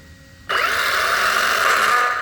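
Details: Castle Creations SCT 1410 in an XL5 RC truck: sudden loud electric buzz with whiny edge holds about two seconds when going forward then braking; motor buzzing/whine on braking.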